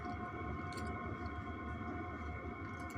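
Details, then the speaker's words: Webasto air heater in a converted van, in regulation mode: low steady hum with a faint thin whistle on top, even and unchanging. Normal operation. "Ça y est, il commence à redescendre et après, tu l'entends quasiment plus. Et ça fait vraiment un tout petit sifflement de rien."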